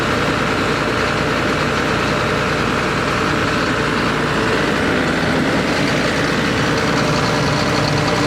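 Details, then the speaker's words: John Deere 9600 combine diesel, after replacing a worn injector behind blue smoke, fuel-diluted oil and code 37E: deep, even idle with no misses or stumbling, running much better; the code cleared. "I don't know how well you're going to be able to tell this on the camera, but this thing is running completely different now."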